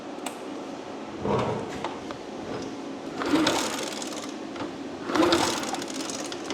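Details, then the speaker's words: Abandoned Honda Dream motorcycle, long stored in a warehouse: three short starter bursts about two seconds apart, never fires; cranks with no start. "Nope. Nothing. Who would have thought it, Dan? Who would have thought it? Let's unplug the ground to the coil and see what happens."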